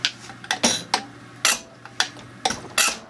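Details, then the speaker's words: Rebuilt Zexel (Bosch) mechanical injector from a Kobelco SK160 backhoe, dormant seventeen years, reassembled on the pop tester: sharp crisp bursts of chatter with each pump stroke and good atomization; normal injector chatter. "now you can hear that chatter hopefully that comes through in the audio sounds perfect"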